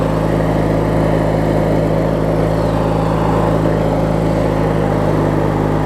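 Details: Craftsman LT1000 riding mower with a swapped-in opposed-twin engine, running after refueling and restarting; steady, even low drone holding constant idle speed, no knocks or misses; normal healthy idle.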